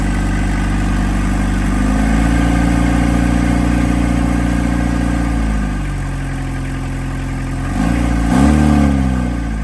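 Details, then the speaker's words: 1991 Toyota Townace 2C diesel, first run after the leaking injection pump was resealed (worn 35-year-old seals): a steady, even clatter settling to a smooth idle with a couple of brief rev changes. It runs cleanly. "right, we are running."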